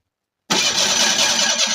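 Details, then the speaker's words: 1985 Ford Ranger after years of sitting, with a new starter and solenoid: the starter spins the engine at a steady, even churn without any firing. Cranks but won't start; owner suspects it is out of fuel. "so let's see if it starts I don't think it will it might be out of fuel"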